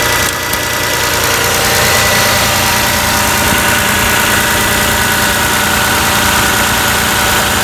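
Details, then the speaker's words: Toyota Camry 3.0 L V6 at steady idle with PCV valve pulled out under vacuum: light, quick ticking on top of the idle as the valve clicks open and shut, normal operation. "Okay, I just pulled it out. I definitely feel vacuum. You can actually even hear the valve clicking."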